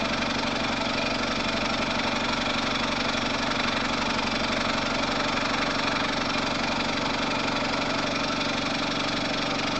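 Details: Air compressor after repair, head unit remounted on the tank, first test run: steady, even chugging at about two and a half strokes per second with no knocks or rattles; pump runs smoothly, normal running.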